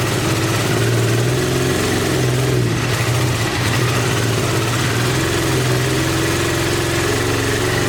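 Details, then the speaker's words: 1986 Honda VT500 Shadow V-twin, revived after years of sitting, on old tank gas and its charged original battery: lumpy idle missing a beat, running only on the front cylinder with the rear dead; owner suspects a mouse-chewed ignition coil wire or weak spark. "so i guess we need to check and see if it's firing you could have a mice eaten wire going to the ignition coil"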